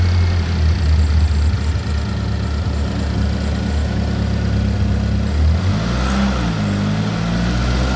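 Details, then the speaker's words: Chevy Equinox after an engine replacement, first start-up: steady low, even idle hum with a brief speed shift near the end, no knocks or ticks. Engine sounds healthy. "Hey, for the timing, we just started up for the first time. I said we just started up for the first time, right when you called. It's running right now."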